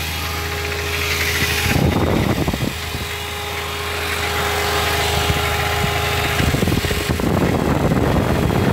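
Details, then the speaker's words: 2004 Mini Cooper 2.0 four-cylinder manual that jumps out of third gear, on ramps: steady hum and rattle from the transmission at idle that goes away when the clutch is pressed; third gear suspected, cause unconfirmed. "y este le estoy escuchando en un sonido acá en la transmisión que cuando se metros el close se le quita"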